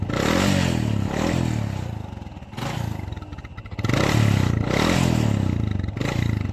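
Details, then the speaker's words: Honda XRM 125 single-cylinder constantly losing oil with heavy white smoke: revved in uneven ragged, clattery bursts with rough exhaust; oil burning in combustion chamber from worn piston rings and scored cylinder liner, oily black canister. "ngayon Nakita niyo na kung bakit naubos ang langis sa motor ni busing dahil yun is nasusunog sa kanyang combustion chamber ibig sabihin may problema na sa kaniang piston ring at saka sa kaniang Liner"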